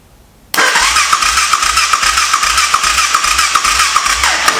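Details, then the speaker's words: Honda 400EX quad, compression test while cranking: starter spins the single at about two and a half even pulses a second with soft puffs and no firing; only about 40 psi, but the throttle was not blocked open, so low compression is uncertain. "We're only getting like 40 psi. Is the throttle open? That's one thing I forgot to do."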